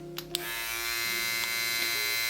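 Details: New Kemei 1974B hair clipper, unboxing test: smooth steady high buzz with an even tone, no rattle or catching; normal running.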